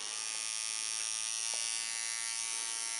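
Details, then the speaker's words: Hummingbird 2 adjustable tattoo machine screwed almost fully tight with the voltage raised, a lining setting: a steady, thin, high-pitched buzz at an even pitch with no stutter or catching. It runs smoothly. "V elle fait du bruit ça serait normalement pour faire des traits elle est presque serrée à fond"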